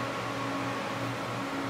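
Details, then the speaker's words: Water-cooled PC radiator fan, pump at 5/10 and water at 84, fan turned up: a soft, even whir with a low steady hum and no rattle or scraping, running normally. "this is the fan and i can make it go faster probably hear it go a little faster"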